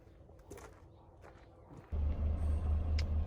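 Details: 1983 Mazda B2000 carbureted petrol engine being revived, run again with air cleaner refitted, pulling fuel from tank: after a quiet start it catches and settles into steady, even low idle, no knocks or stumbles; normal idle.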